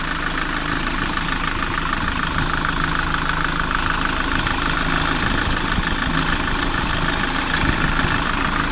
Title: Кайрон посторонний звук в двигателе